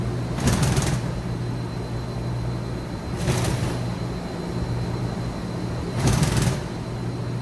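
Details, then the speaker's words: 2013 Mazak HCN 4000 Mark III horizontal machining center, Y-axis 23-inch full stroke at 100% rapids: hum of rapid moves with a short rattling burst each travel, about every three seconds; light way cover chatter, ball screw fine. "A little bit of weight cover chatter, but they're all flowing smoothly and the ball screw sounds just fine."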